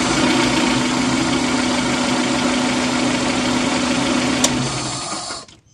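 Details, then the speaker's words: Fuel-injected car (D-EFI, MAP-sensor system): with the MAP sensor connector unplugged the engine starts and holds a flat steady idle for about four seconds but won't rev on throttle, then dies; no throttle response. "Oke coba kita starter dengan kondisi soket terlepas Apakah dia mau hidup Saya mau hidup hanya di gas tidak mau"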